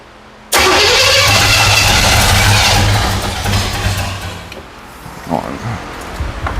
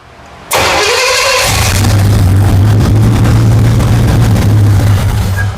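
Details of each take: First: 1977 Pontiac Firebird with overhauled Pontiac 350, after correcting a mistaken Chevy small-block firing order: cranks, catches briefly, then dies and stumbles; not firing right, improved after advancing timing. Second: 1977 Pontiac Firebird overhauled 350 small-block, barn find after 18 years, first runs after timing advanced: quick crank, then catches into strong, even V8 rumble, steady firing, no misses; vacuum leak suspected; normal running after start.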